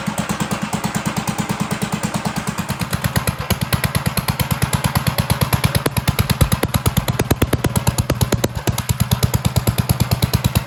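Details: 1958 Gravely Model L walk-behind tractor, after sitting over a year, running with throttle now hooked up: single cylinder thumping steadily about three times a second, even beats, no misses; normal running.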